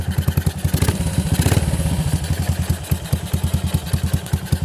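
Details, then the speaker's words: Yamaha SR400 single-cylinder motorcycle idling with loud, clattery beat; valve rocker arms found with too much side-to-side play; oil reaching the head is normal. "ถ้ามีตัวโยกได้นะครับที่มันมีเสียงดังอ่ะ"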